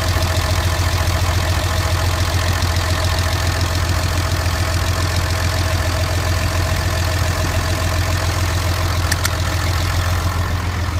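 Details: 2005 Ram 2500 5.9 Cummins diesel after misfires and rough running at 35 mph: heavy idle with steady rhythmic chuffing, excessive blowby; rebuild found low compression on 3 cylinders with cracked piston rings; owner suspects previous-owner reman injectors.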